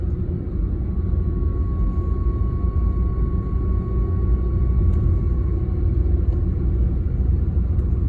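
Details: BMW E36 with 220k miles while driving: loud constant deep rumble with faint steady hum; worn driveshaft center support bearing, noise gone after replacement.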